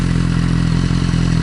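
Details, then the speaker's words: Motorcycle (the RR) at idle: steady low idle thump with an occasional skipped beat, a tiny stutter. New plugs and swapped coil packs did not fix it. Misfire at idle. "just like misses a beat. So I've got a tiny little stutter, so I want to sort that out"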